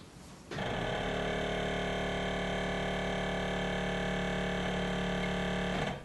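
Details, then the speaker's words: BMW E53 X5 4.8is with four-wheel air suspension: pump runs while raising the suspension in increments, starting cleanly with a steady even hum for about five seconds then stopping; normal compressor operation, no rattle or strain. "I'm gonna hit the play button you can hear the pump going don't know how much you saw that but that's going up right so it does it in increments so we'll do it again"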